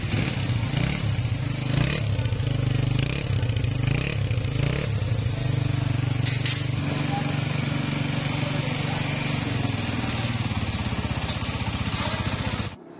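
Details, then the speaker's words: Honda CG 125 single-cylinder engine just reassembled with non-genuine replacement parts after a noise problem: steady, even thump at a constant beat with no knocks or rattles; normal running after repair. "तो engine assemble हो चुका है अभी आपको इसका sound भी test करवाते हैं"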